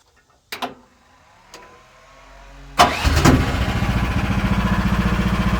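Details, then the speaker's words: AGT QH13R Chinese mini excavator diesel starting up after delivery: a few clicks, a short crank, then it catches at once and settles into an even, steady chug; starts easy, a normal healthy start. "Starts easy. That'll let you start. Looks good."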